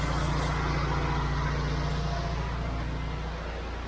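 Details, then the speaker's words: Honda IGX800 pressure washer engine under load, after replacing failing ignition coils with modified-resistor units for bogging, not yet fully warm: deep, even drone holding speed with no bogging, surging or misfire. "seems to be working pretty good so far but again this needs to warm up a little"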